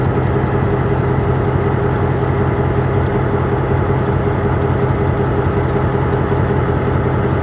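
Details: MP15 switcher locomotive on DO-1 that started right up, unlike the second unit that had a hard cold start on weak batteries; steady, even low diesel throb, no misses, knocks or surging, healthy idle.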